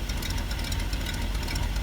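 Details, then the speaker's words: 1974 Ford F-350, crushed by a fallen tree and long unused, idling: a rough V8 rumble with a sharp, fast ticking puff. This is an exhaust leak in the pipe where it joins the manifold, not at the manifold itself. "now you will hear an exhaust leak that's not at the manifold that's where the pipe comes up and joins the manifold there's actually a little place in the pipe that's where it's blowing out at"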